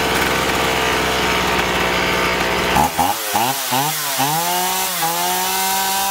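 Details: Chainsaw after carburettor cleaning (had surged and lost power even unloaded), both L and H screws set fully in then out 1.5 turns: high sharp buzz held at full throttle, quick revs rising and falling cleanly without bogging; normal.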